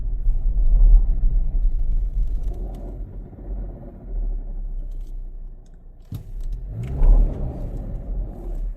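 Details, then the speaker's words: Car with rough running traced to the automatic transmission, not the engine: a deep, rough rumble that surges with load. A bearing is coming apart inside, suspected to be the pinion bearing. "Oh, there's a bearing coming apart in this transmission. Ooh, that's bad. Okay, it's done for. There is something coming apart in this transmission."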